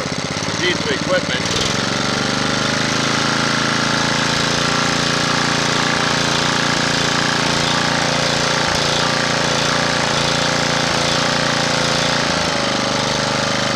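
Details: Honda GX240 after its carburetor idle-circuit passages and jets were recleaned: an even, steady engine note that holds speed with no rising and falling; it no longer surges and the idle screw works.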